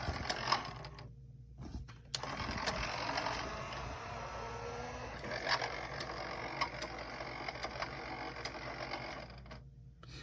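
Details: Denon DCM-380 CD changer after repair of a tray that would not open (Error 2): quick, light gear whirring and ratchet clicks in short bursts as the tray mechanism cycles; mechanism moves freely and normally.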